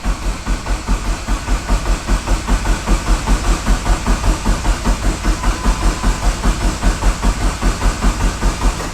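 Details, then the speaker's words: Neon SRT-4 with Precision PT6062 turbo, first start-up after wiring and assembly: steady starter cranking about three to four pulses a second, never firing. Cranks, no start: no gasoline in the tank. "i ain't doing yet but obviously no gas is obviously gonna have no combustion no"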